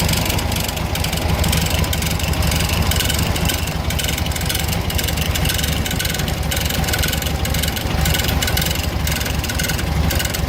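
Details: 1970 first-series VW Fusca (Beetle) air-cooled flat-four idling with a busy, uneven clatter over the low thrum; abnormal noise, source unknown.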